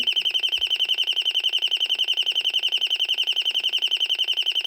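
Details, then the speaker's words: Royal smoke, gas and fire alarm, estimated late 1970s–1980s, speaker-driven rather than piezo or 60 Hz buzzer: high shrill warbling tone pulsing just under twice a second, steady and strong, like a burglar alarm with bird sound; working. "I did not expect this that sound to come out of this so um sounds like a it sounds like a security ENT uh a burglar alarm but it does have the uh bird sound to it"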